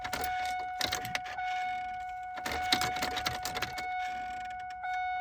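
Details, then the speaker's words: GM instrument cluster with two faulty stepper motors (fuel and temperature gauges overreading); faint electric whine with quick irregular ticking as needles skip, heard close up; worn gauge stepper motors, before replacement. "If you hear that, they're right up close there. You can hear it skipping, trying to go over."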